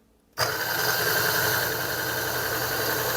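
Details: Niche Duo coffee grinder during calibration, set to zero: the motor spins up at once and a thin, steady high squeak rides over the hum; the burrs are touching at zero, with contact starting around one.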